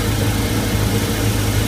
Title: DIY MerCruiser 5.0L mpi 260HP ticking sound, starboard side leaking exhaust manifold gasket